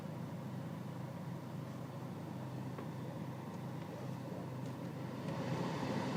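Quiet diesel clatter with a slightly uneven beat that wavers from cycle to cycle; this diesel is idling rough.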